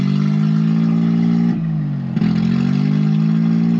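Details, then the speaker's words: 1993 Geo Metro after fuel pump replacement and a fuel line clamp fix: loping, uneven idle with a low drone that sags and recovers, like a big cam though it has none. It sounds fine when revving; cause not yet found. "Sounds great when it's revving. It does not have a fat ass cam, I promise. It is not supposed to do this."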